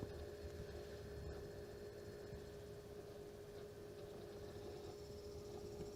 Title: Vega 64 LC Pump grinding noise